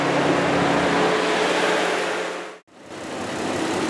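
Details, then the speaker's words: Petrol engine idling while running solely on injector cleaner from a cleaning kit: under loud hiss it misfires with put-put from the exhaust, nearly cuts out and catches again as the cleaner runs out; engine misfire from fuel starvation. "started it's just started misfiring can hear the put-put-put-put-put from the exhaust so I imagine it should quit pretty soon"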